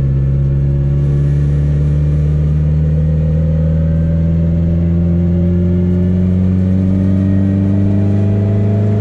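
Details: Car on a low-power test drive after a CV axle and driveshaft fix: a smooth low engine drone climbing slowly with speed, with no clunks or vibration beats. The drivetrain is normal under acceleration.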